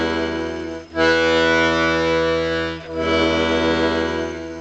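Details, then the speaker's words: Scarlatti 24-bass accordion after tuning bass reeds to A440: sustained bass chords with a slight rattle on the E note on the push (bellows closing), to be investigated by removing the bass blocks. "oh there's a bit of Ratt on that one I'll check that later"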